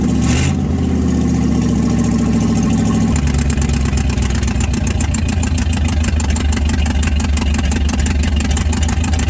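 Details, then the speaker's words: 1967 Chevrolet C50 truck sat about nine years, after warm-up run: steady, even idle dropping to a lower settled beat after about three seconds, with exhaust tick from missing passenger-side donut; normal running after warm-up. "not bad not bad at all well she fired up and she ran quite a while"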